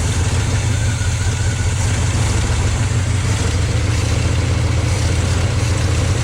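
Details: 1972 GMC 1-ton ramp truck, 454 Chevy big-block, TH400, revived after 27 years, fuel pump reconnected: deep steady idle with an even beat, no knocks or ticks; oil pressure pegged, running healthy.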